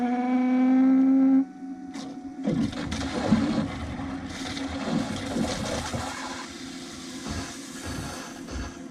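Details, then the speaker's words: BMW F10 535d diesel after fuel filter replacement, fuel pump run directly via wired jumper to prime system: steady buzzing whine then irregular sloshing and gurgling, believed to be air in the line being pumped back. "So I don't know if you guys could hear that, but that sounded like a whole bunch of air in the line being pumped back, so that's good news."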